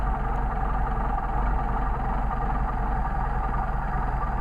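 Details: Mercedes 190SL with rebuilt Solex carburetors idling low, about 500–700 rpm, while idle mixture screws are set during tuning: low idle that roughens and wavers, soft hiss of air into the carb throat; idle stumble from maladjusted mixture screw.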